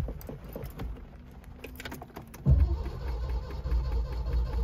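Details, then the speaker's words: Neglected Citroen SM found by the roadside, first start attempt with the correct key: quiet clicks, then steady low churning as the starter turns the engine over without catching; cranks, no start yet. "next step we'll be figuring out how to start the car oh you hear that it's cranking"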